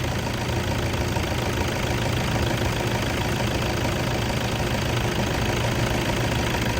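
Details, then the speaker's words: 2010 Toyota Vigo 2.5 E diesel pickup, 54,000 km, just started with all lights on: steady, even diesel clatter at idle, smooth low rumble, no misses or knocks, and no blow-by. A healthy engine. "ความดันไม่มีอะไรออกมานะครับนี่คือเครื่องดีปกติ"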